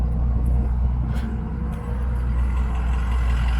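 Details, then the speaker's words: 2004 Ford F350 6.0 Powerstroke turbo diesel, 173k miles, EGR delete, stock exhaust, warmed by a short drive but not at operating temp, recorded at the tailpipe: low, even rumble with a soft steady pulse, nothing rattling; quiet, healthy idle. "Stock exhaust, nice and quiet."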